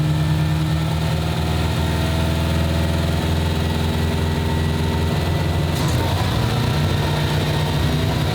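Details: 1995 Ford Mustang GT, 302 V8 with a swapped carburetor, after the gas tank was reinstalled: a heavy, lumpy idle with wandering speed, so it runs rough. The cause is unconfirmed; they suspect the carb, which sat on a shelf, needs rebuilding.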